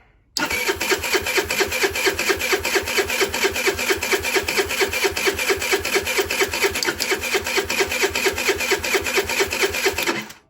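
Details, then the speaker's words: 2007 Diamo Retro 50 GY6 scooter with a new intake tube, which started days ago. Owner suspects valve adjustment or choke. Even cranking at about two beats a second for ten seconds, never firing. Crank, no start; it later started only with starting fluid. "The only thing I can think of is maybe the valve does need adjusted, but it was running fine. Why wouldn't it start today, but it started a couple days ago?"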